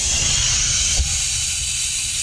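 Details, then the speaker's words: Audi Q5 3.0 TDI V6 diesel intake pressurised to about 30 psi with a boost leak tester, engine off; constant loud airy hiss from a torn charge hose near the intercooler; boost leak. "connect it fill up with pressure that's a woo tell it has a leak pretty good one okay"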